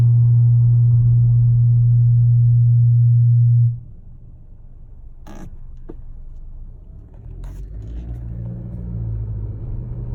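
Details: 2018 Honda Accord Sport 1.5T: an abnormal loud, steady low engine hum for about four seconds, then it cuts off abruptly. Origin unknown.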